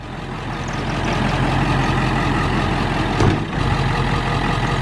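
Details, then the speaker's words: Diesel truck after injector replacement, earlier surging and white smoke: steady, even diesel clatter at idle with no surging or hunting; owner thinks air was aerating the fuel system, now running smoothly without white smoke. "It's running and it's not surging. I'm pretty sure it was just like bubbling and aerating the system, but the truck is running and it's not white smoking anymore."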